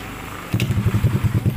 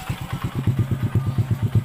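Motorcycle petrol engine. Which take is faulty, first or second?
second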